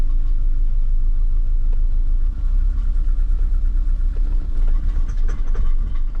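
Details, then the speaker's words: 1989 BMW E30 M3 idling with a low, uneven, lumpy beat that sounds like it's missing a little, cause not pinned down; the catalytic converter was also noted rattling. "Definitely sounds like it's missing a little bit."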